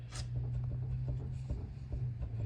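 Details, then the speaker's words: 1999 Toyota 4Runner jacked up, upper control arm wiggled by hand: soft, dull knocks about twice a second with visible play; worn upper ball joint, possible front-end clunk source. "you can hear it and see it so if you have a clunking in your front end it's possible it's one of these joints right there"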